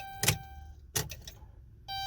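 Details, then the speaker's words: Chrysler/Dodge Grand Caravan that starts only sometimes: two sharp clicks a second apart over a steady dash chime, engine never turns over; power reaches starter, so starter is suspected bad; solenoid click, no crank. "if you get that click that power supply made it there all right it's just the starter at that point not not allowing you the starter to crank the engine over"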